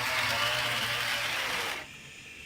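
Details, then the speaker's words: Big Pine Lumber model train locomotive on track: busy high-pitched buzzing chatter while running, cutting off when motor stops; noisy drive, cause unknown, owner considers a motor upgrade later. "like I said it runs too but it's just noisy it's a noisy guy I don't know what the deal is but he runs makes a"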